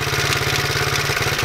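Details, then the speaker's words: Single-cylinder, cold start, almost out of gas: quick, even idle around fifteen pulses a second with a tinny rattle on top; cause not identified. "um here I'll actually start it up for you guys it's uh bit cold as you can see um it's almost out of gas too but I think it'll start I'm not really sure what that rattle is"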